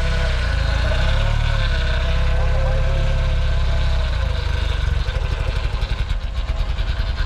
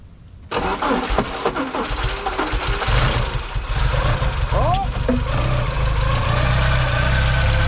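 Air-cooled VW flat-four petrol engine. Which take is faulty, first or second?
second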